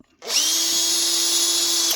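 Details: Makita DHP458 cordless drill from 2017 after new brushes and two new gear lever springs: spins up cleanly to a steady, even high whine for under two seconds, no grinding or stutter; runs normally.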